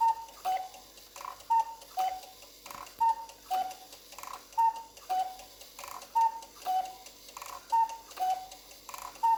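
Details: Cuckoo clock movement after the bellows is reattached, run with the pendulum off for easier work: quick, even tick-tock at roughly eighty beats a minute, far too hurried, the escapement running free because the pendulum isn't hung.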